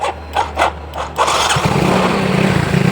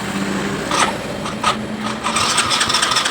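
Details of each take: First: Yamaha Mio Soul GT scooter: pump now hums at key-on; a few starter bursts, then it catches about a second in and settles into a steady, even idle with no misses; normal running. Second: Yamaha Mio Soul GT scooter, fuel-injected, pushed in dead: check-engine light on and starter cranks in uneven bursts, but no fuel pump hum at key-on and the engine never catches; crank no-start, fuel pump not priming, injector wiring found spliced.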